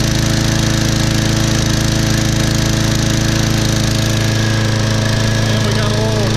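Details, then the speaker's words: Sears Craftsman mower, Briggs & Stratton 6.75 gross torque 190cc engine, after replacing suspected thin 0W-20 oil with HD30: steady, even buzz with no misses or surging; repaired, running well. "that sounds good sounds real good see if it burns any oil out of this muckler"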